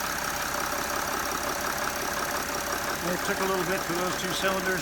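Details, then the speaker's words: 2012 Mercedes Sprinter diesel van, 175,000 miles, after replacing leaking injector seals on two injectors: even diesel clatter settling into steady idle with no stumbling or missing, running normally again. "all right we've run tested this thing and everything seems to be in order"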